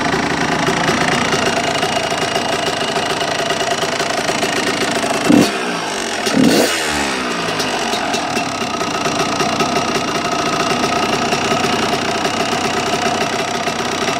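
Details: Engine with new piston and water pump, only a couple of warm-ups, no crank up-down play: rattly idle with two throttle blips and a light metallic rattle throughout; source unknown.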